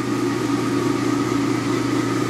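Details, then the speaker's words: Old milling machine with chain drive, started in neutral: steady even hum with faint constant whine, no knocks or rattles, quite quiet; normal running. "okay fire it up i need for a chain drive you know that's pretty darn quiet"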